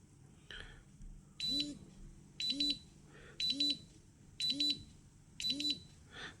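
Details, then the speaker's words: Bluetooth Geiger-counter dosimeter brought closer to a source: high chirping beeps in pairs about once a second with one vibration, the second alarm threshold (thresholds set at 25, 30 and 50). "далі підношу ближче другий поріг"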